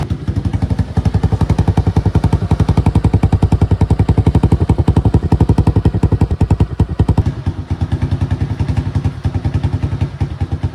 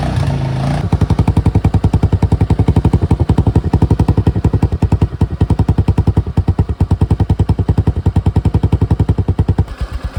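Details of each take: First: Suzuki Access scooter before repair, silencer rusted through with many holes: loud, raw single-cylinder putt-putt at steady idle with no muffling; exhaust leak. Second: Suzuki Access scooter idling after its rusted, holed silencer was repaired and given a high-heat coating: steady, even single-cylinder putter at about three and a half pulses a second, no rasp or puffing; normal sealed exhaust note.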